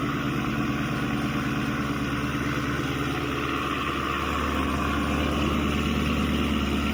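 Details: 2016 Chevy Camaro SS 6.2L V8, almost 50k miles, remote started after factory GM thermostat replacement: steady even idle, smooth low burble, no knocks, ticks or hunting; healthy, fan shuts off confirming thermostat works.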